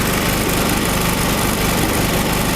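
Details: Small single-cylinder Chinese generator converted to propane gas, mixture enriched with the adjusting screw; holds an even, steady speed with no surging or hunting, running clean.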